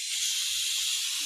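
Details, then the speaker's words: Compressed air hissing steadily from a worn fitting on a cylinder leak-down tester used on a John Deere G100 mower cylinder near top dead center, holding the valve shut after a bent push rod; compression looks good, fitting needs replacing. "this is my cylinder leak down checker i need to get a new fitting here that's what the problem is is the fitting where the air is coming out"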